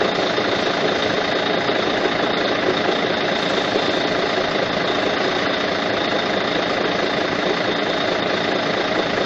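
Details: Volvo truck D12D diesel at steady idle with cab raised, complaint of noise at front of engine; constant dry rumbling whir from the front, caused by a stuck fan hub bearing needing replacement.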